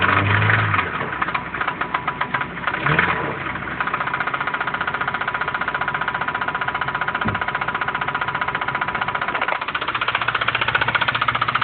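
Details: 2006 Acura RSX Type S, 135,000 miles, running: sharp, even knock nearly four beats a second from the top of the engine under the valve cover; cause unknown.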